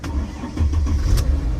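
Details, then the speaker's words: Car restarted after the main battery was disconnected (alternator had kept it running): short crank that catches almost at once and settles into a low, steady rumble; starts readily, owner suspects the main battery. "She cranks right up."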